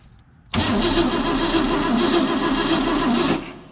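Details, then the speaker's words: 1960 Cadillac Sedan DeVille, 390 V8, sitting for years, rotted vacuum advance hose; starter churns the engine steadily about three seconds with a low warble but it never fires; cranking, no start. "we gotta get some Sparky spark first why is that not Sparky"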